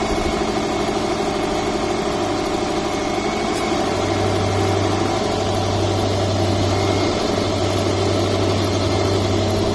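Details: 2007 Subaru Forester at idle with AC compressor engaged, after work on a compressor clutch with excessive clearance that caused random disengagement, 70°F humid day: even low hum and smooth drone, no clatter or squeal; compressor running normally, air ice-cold.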